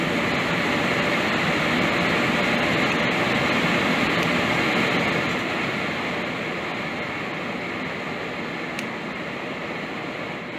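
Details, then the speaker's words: Home furnace blower on continuous fan after rewiring, house with no heat: steady, smooth rush of air with no scraping, rattling or surging; blower motor healthy, normal run. "well that's a good sign blower actually works I can hear it like Revan t cool"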